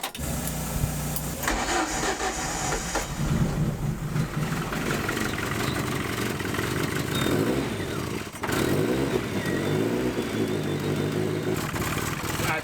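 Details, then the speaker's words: Compound twin-turbo project car with an exhaust leak found at MOT, cold start. Cranks, catches and settles into idle with a sharp puffing chuff on top: exhaust blowing from the wastegate bellows, split all the way around where it returns into the downpipe. "actually coming from the bellow on the wastegate. Goes down and goes back into the downpipe. It's actually split all the way around there. I can feel it on my fingers. I can feel the exhaust blowing out."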